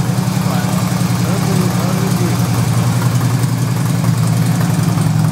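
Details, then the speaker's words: 2008 Harley-Davidson FLHT Electra Glide Standard, first start of the season after winter: deep loping V-twin idle about three and a half beats a second, holding steady without misses; healthy. "fire it up it's probably going to be a bit clunky but we'll see hold on there it is running like a true Harley"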